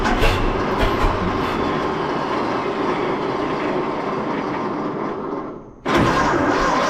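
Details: 1926 Seagrave city service ladder truck, 1013 cu in "F" six-cylinder, just started after 10+ years sitting, no work done beyond battery and gas to carburetor; uneven chugging with skipped firing pulses, briefly dying then catching, missing on one or two cylinders.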